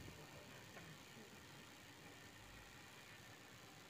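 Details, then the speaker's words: Toyota Kijang carburettor engine after carb and valve adjustment (idle fault suspected from too-tight valve clearance); quiet, even idle with a steady low hum, no stumbling or surging; idle now smooth, vibration reduced. "Oh udah enak ini sudah enak langsamnya sudah halus tenaganya sudah maksimal"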